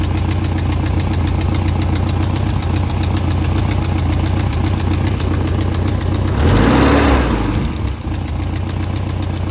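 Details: 1989 BMW E30 M3, S14 four-cylinder petrol engine, 170K miles, idling with a steady, quick light ticking over the low rumble; engine ticking at idle.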